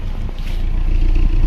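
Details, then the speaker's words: Carbureted K-series Toyota Corolla Big Body at idle, owner reports hard starting and timing looks off: steady deep exhaust rumble with wind on the mic, no roughness or missing; exhaust note okay but still to be checked. "yung tunog ng tambucho niya. Okay naman, pero i-check pa natin."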